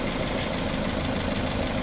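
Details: 2015 Chrysler 200 restarted after over a year parked, idling while the alternator is tested and found charging: smooth, unbroken idle holding one steady note with no misses, knocks or hunting; normal idle.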